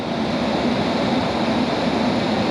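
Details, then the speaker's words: Honda S2000 flood car, heater blower on speed one: steady, even rush of air with no ticking, scraping or pitch wobble; blower running normally, it did not blow before. "oh yeah I mean that's blowing on number one yeah it wasn't doing this at all"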